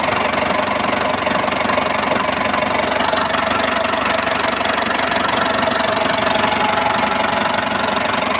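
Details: Steady idle with a fairly regular light ticking knock near three per second over the engine hum; cause not pinned down. Cause suspected, not confirmed.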